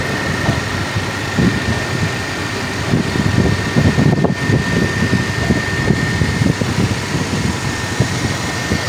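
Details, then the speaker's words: 2013 Lexus after camshaft timing sprocket replacement, warm after about 5 minutes of morning running: steady, smooth idle with no ticking or chain rattle at the front; timing drive sounds healthy. "So kaya ng umaga ayos, wala siyang lagatak. No? Pag umaga wala siyang lagatak."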